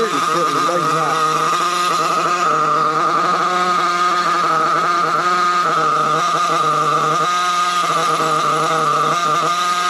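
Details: RC Trophy buggy nitro engine at low throttle: high, thin buzz that wanders and surges unevenly, plenty of smoke at top end but audibly lean at the bottom end; low-speed carburetor needle running lean.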